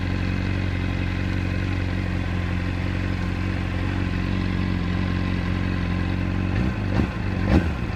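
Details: Honda CBR600RR idling with a light metallic clatter over a steady idle, then a couple of blips; cam chain and tensioner (replaced with APE manual) already changed, pulling clutch doesn't change the noise; source unknown.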